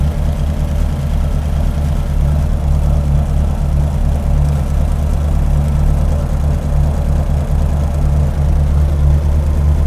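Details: 528 Hemi V8 with aluminum heads, double valve springs and electronic distributor, idling at about 900–950 rpm for a vacuum check (15–16 in expected); steady, even low rumble with no knocks or misses, a normal healthy idle.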